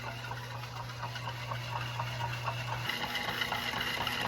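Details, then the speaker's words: Nearly 100-year-old home-built air compressor made from a refrigeration compressor: steady low hum with a soft even ticking about twice a second, no rattle or knock; runs quietly and normally, unlike oilless compressors. "Listen to it. It's quiet. Not making that terrible sound that you get from those oilless ones."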